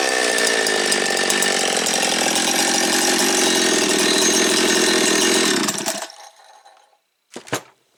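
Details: Jonsered 2171 chainsaw, neglected old saw first start after reassembly: steady high buzzing rev held evenly for several seconds, then clean shutdown; crisp and healthy.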